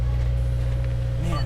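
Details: First start of a wrecked 2018 Subaru WRX being rebuilt, on a jump box, with the fuel pump audible first. A low, steady engine hum with no misses or knocks; normal idle. Airbag, brake and low-tire warning lights are on.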